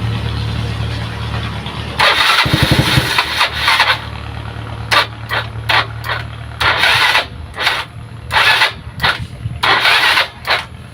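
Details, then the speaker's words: Yamaha Mio Sporty scooter with battery that keeps going flat and broken kick starter, after brief charging: starter whirs in short repeated bursts, engine turning over but never catching; cranks without starting, cause (regulator, stator or battery) undetermined. "No, mga tropa, hirap po talaga yung kanyang makina nga mapa-start, no?"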